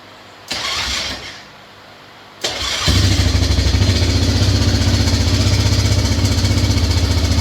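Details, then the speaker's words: Lawn tractor just started after a carburetor boot replacement with correct clamps, idling cold with no throttle: a steady knock of about four per second under the exhaust beat, deep in the engine. Source unknown; the engine was apparently apart before. "I mean bad is it's got that damn it's got a a noise down in the engine and see if we can start it"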